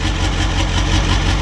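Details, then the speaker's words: Ford F350 7.3 Powerstroke diesel after electrical repairs, one injector still needing replacement, idles loud and raspy with steady even chug; harsh open sound because the exhaust is disconnected, otherwise running okay. "I need to connect the exhaust, that's why it sounds like that, but other than that, not too bad."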